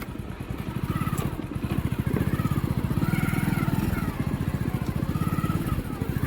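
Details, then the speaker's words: Hero Passion Pro after clutch plate replacement, previously grinding on clutch release after gear changes: single-cylinder bike pulls away with an even, steady beat and no grinding or rattle; clutch engages cleanly. "पहले बहुत दिक्कत होता कल छोड़ने में gear change करने के बाद कल छोड़ता था घर से आवाज करता था अभी वैसा कुछ आवाज नहीं कर रहा [संगीत] है बिलकुल स्मूथ चल रहा है"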